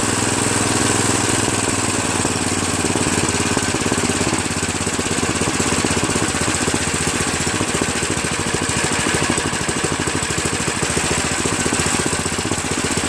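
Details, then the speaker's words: Craftsman OHV 5.5hp 26-inch dual-stage snowblower, after its surging carburetor was replaced with a Chinese copy and the fuel line and primer hose were reconnected: it holds a fast, even beat for over ten seconds with no hunting or surging; it runs smoothly. "runs smooth, idles really nice. I tell you, it's well worth $7 to get a new carburetor."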